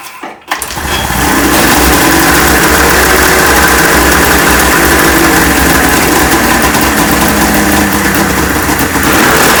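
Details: 1996 Ski-Doo Formula 3 600 triple two-stroke snowmobile, neglected, after carb cleaning, choke adjustment and carb synchronization, started on choke: cranks briefly, fires and settles into steady crisp run, even firing, no misses; compression about 85–95.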